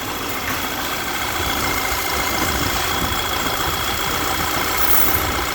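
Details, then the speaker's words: Audi Q3 2.0 TFSI CCZC running lean at idle with codes P2279 and P2187 and the check-engine light on. At idle a constant airy hiss of vacuum is heard at the dipstick; the PCV diaphragm has failed, causing a crankcase vacuum leak. "it's pulling so hard you can hear the vacuum coming out of the dipstick"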